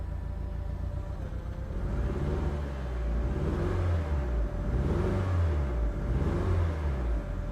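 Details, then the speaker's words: 1998 Mitsubishi Lancer GSR Evolution V Japan import at idle: lumpy, uneven idle with a low thudding beat that stumbles irregularly; the engine is misfiring, running on three of four cylinders; cause not determined. "the car is currently a three cylinder instead of a four-cylinder"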